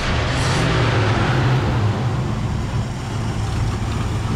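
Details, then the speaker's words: 1972 Ford F250 Ranger XLT Camper Special V8 revival, after restoring a coil wire suspected of voltage drop in factory wiring: deep steady rumble holding an even idle with no stumbling; normal idle. "because once we change that wire back well she's sitting here holding idle again so"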